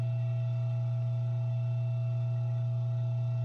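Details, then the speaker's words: ILG Model 123 XQ explosion-proof fan motor after rebuild with new bearings, cleaning and new winding varnish: steady low hum, no bearing noise, centrifugal switch very faintly audible; quiet, smooth run. "more bearing noise you probably faintly hear the centrifugal switch [Music] very faintly it's quiet very nice i like it"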